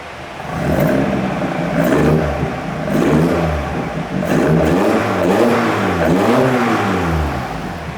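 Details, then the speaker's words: Fiat 131 Mirafiori Abarth fitted with twin Weber carburettors after years sitting: revs surge and sag with a lumpy, shaking note because one carb delivers more fuel; carbs being balanced and synchronised via the idle screws. "that's why it's doing that yeah because one's injecting more when it needs to"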